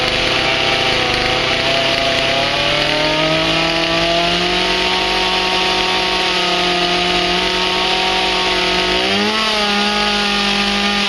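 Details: Stihl MS180 chainsaw reassembled after a strip-down to fix oil flow. Steady high-pitched run, pitch creeping up then settling on an even note; it runs smoothly and is oiling again.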